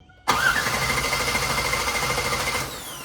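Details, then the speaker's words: 1996 Camaro Z28 LT1 after fuel injector replacement: steady even cranking that never fires, then tails off; crank no start, owner suspects fuel pump not coming on (replaced two years ago), making noises but not humming. "don't think the fuel pump's coming on. Fuel pump bad? Maybe. Changed it out 2 years ago. It's making noises, but it's not humming."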